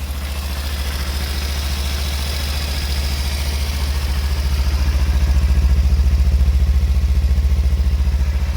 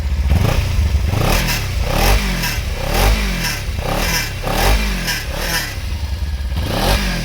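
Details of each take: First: 2016 Kawasaki Ninja 300 ABS with about 60,700 km, started without throttle: deep, even thrumming idle with steady regular pulses and no misses or knocks; a rattle on revving is thought to be the exhaust guard. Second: 2016 Kawasaki Ninja 300 ABS, about 60,700 km, starts without throttle: repeated sharp throttle blips about once a second, each bringing a metallic clatter over the engine; rattle when revving, believed to be the exhaust guard vibrating.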